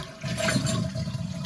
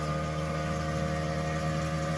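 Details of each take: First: Toilet flush after replacing the handle and readjusting the flapper: short, full rush of water with a steady swirl, flushing properly now. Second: Newly replaced household water pump, previously quiet, heard as water is turned back on after a toilet handle repair: loud steady droning hum at constant pitch, straining; noisy water pump from blocked water flow.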